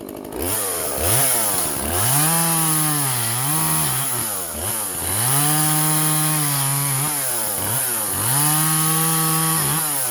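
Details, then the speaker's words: Vintage Husqvarna 136 chainsaw, California emissions model, after clearing a plugged muffler and carb work, cutting wood: revs up crisply, pulls steadily through each cut and drops back cleanly to idle. Normal running under load. "yeah that's way better i think it was just a plugged muffler can you believe that"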